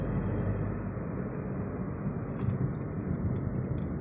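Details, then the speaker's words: Daihatsu Sigra at about 20,000 km after second service and a straightened front part, driven over rough road: only low steady road rumble, no knocks or clunks from the front; earlier rattle gone. "posisinya seperti ini tapi ini bener-bener nggak bunyi udah udah rapi ya jadi nggak ada nggak ada suara waduh mantap banget nih"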